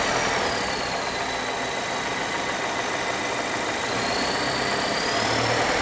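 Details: 2021 Volvo S90 B4 mild-hybrid at idle: steady thin high whistle above engine, pitch drifting slightly; PCV, oil separator, alternator, pulleys, crank seal, balance shaft, timing belt, damper replaced, not turbo, source still unknown.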